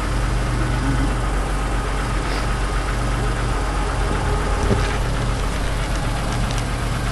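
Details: 1991 Chrysler LeBaron convertible, fuel-injected, cold start after nearly 7 months sitting through a Minnesota winter on a new battery: steady, even low rumble, no knocks, misses or stumbles; smooth healthy idle.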